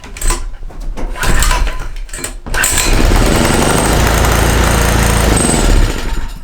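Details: Small gasoline engine fed hydrogen from homemade water electrolysis cell and bubbler; a few ragged cranking bursts, then it catches, runs unevenly about three seconds and dies; intermittent firing on insufficient gas supply suspected.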